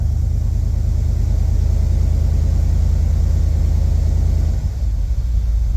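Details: 1976 Chevy El Camino 350 small-block V8, warm idle with about 30-some psi oil pressure on an Auto Meter gauge before compression and leak-down tests: heavy, even low rumble, no knocking or missing; normal.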